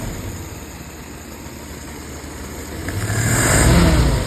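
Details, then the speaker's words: 1948 Willys pickup: professionally rebuilt carburetor on its test run goes from a quiet steady idle to a clean, smooth rev swell that rises and falls without stumbling. Strong throttle response, normal revving. "Let's go ahead and give it a rip. Nice and smooth. Oh man, she's got some throttle."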